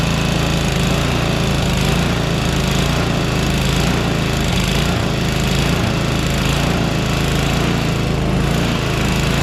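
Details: Small single-cylinder engine after a conversion, running after priming with fuel shutoff opened: steady even chug, no misses or knocks; healthy running.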